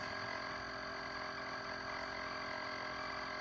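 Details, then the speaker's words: Chefman single-serve coffee maker with a 40 oz reservoir, brewing 6 oz: a loud, steady buzzing hum with a thin whine at the end of the brew cycle, cause unknown; the coffee also came out not very hot. "I have no idea what it's doing. That was incredibly loud."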